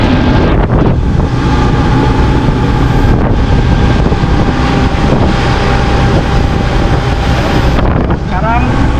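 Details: Cox 300 hp V8 twin-turbo diesel outboard on patrol demo boat, sea trial at slow speed, throttle opening: smooth even diesel drone building, partly buried in wind and water noise; normal running.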